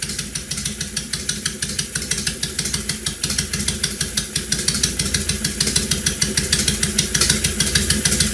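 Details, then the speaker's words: 2005 Honda VTX1300 V-twin that ran badly from several vacuum leaks, vacuum lines capped and run on an auxiliary fuel source: loud, uneven idle loping about three pulses a second with sharp exhaust cracks; running after vacuum leak repair. "so that's capped off and also the one on the other side that would normally go to the vacuum petcock is capped off also so right now we have good Integrity with the vacuum lines"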